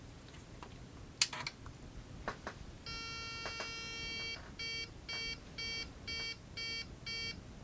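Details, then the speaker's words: Early-1990s Microbyte HC120 XT-clone PC at power-on: a few clicks, then one long and six short beeps, the normal error beeps flagging unconfigured BIOS settings, before it cycles video modes. "Alright, that's the normal error beeps, and it's going to do this thing where it flips through various video modes"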